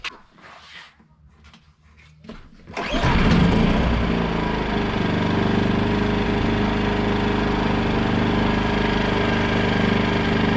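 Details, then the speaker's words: MaXpeedingRods MXR2300 inverter generator, started with a brief pull, running without load; smooth even quiet hum, rated 58 decibels, normal. "as you can hear, it's not very loud. It's 58 decibels from what the information says. It's very quiet."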